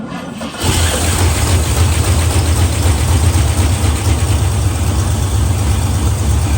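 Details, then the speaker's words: 1970 Pontiac LeMans parked 30 years, cranked after an oil change: it turns over with a steady drone for several seconds but never catches. No fuel is reaching the carburetor. No-start from fuel starvation. "nope nope no gas coming through so it's stopped up somewhere in there we're going to find out where"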